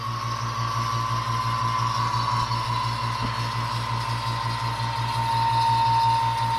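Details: 2015 Subaru Outback AC compressor replacement, vacuum pump evacuating AC system via manifold gauges: steady mechanical drone with fast even pulse about three beats a second and constant hum; vacuum pump running normally.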